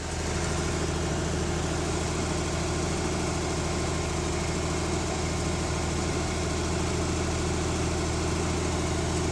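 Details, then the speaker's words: 1970s Mercruiser sterndrive (slight float drip) being winterized, after a little throttle: a smooth, even low rumble at steady idle with no knocking or missing; warming up with oil pressure and charging present; normal warm idle. "ah it's starting to warm up got an oil pressure going and we got some charging going"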